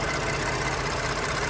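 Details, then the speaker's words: Ford F-150 EcoBoost at idle: light, fast ticking over engine note; valvetrain and injector tick, considered normal, not a knock. "There is two types of noise coming from this EcoBoost engine, and you might not have an EcoBoost, you might have a 5.4 or maybe 5.0."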